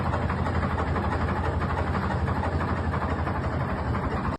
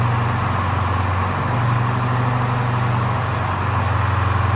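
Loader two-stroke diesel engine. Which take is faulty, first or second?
first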